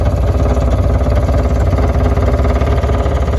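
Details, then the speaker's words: Electrofreeze soft serve machine during tune-up, left-side mix pump building pressure from 6 psi until satisfied: loud even low thrum pulsing a bit over twice a second; pump system proper, reading 43, air bleeding back as the duckbill is missing. "See if I'm satisfied. Okay, pump satisfied."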